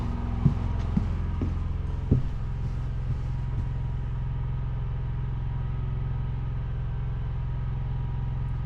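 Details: Portable generator beside the trailer, choke on, no load, heard from the front bedroom with doors open: low, even hum holding steady after a couple of bumps at the start; idles smoothly, far quieter than the built-in Onan.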